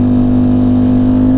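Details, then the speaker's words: Sport bike with a dry clutch and about 2,200 miles, held at high rpm: steady engine howl that doesn't pull harder, rider suspects the clutch slipping only at high rpm; not confirmed. "you're telling me that dry clutch is already slipping oh man it's only in the high RPMs I was wondering why it was Wheeling like that no yeah that's a clutch oh my gosh already"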